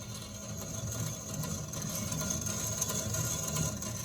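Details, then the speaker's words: Original rear end removed from a shop truck, right side: rough, gritty churning rumble as the axle turns from a worn-out wheel bearing; rear end swapped rather than replacing the bearing. "the bearing is gone. Everything else seems to sound okay."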